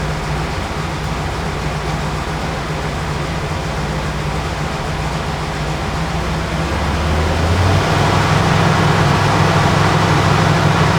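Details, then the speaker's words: 1967 Plymouth GTX 440 big-block V8, 727 Torqueflite automatic, dual exhaust: deep even idle with steady lope, then pitch climbs cleanly when revved; healthy engine. "so now to finish things off we'll get this down off the lift go underneath the hood let you hear what that 440 Mopar engine sounds"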